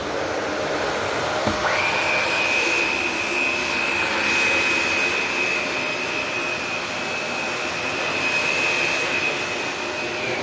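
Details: Shark Navigator upright vacuum test run: motor spins up within a second to steady even high whine with smooth airy rush, no rattles; normal running.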